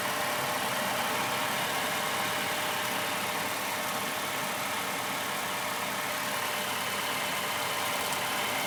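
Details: 1996 Honda Civic 1.6 warmed up near the hot zone after reseating the radiator thermo-switch connector, radiator low on coolant: fan kicks in with a steady, even rushing whoosh over a quiet idle, no rattles or rubbing; fan working normally.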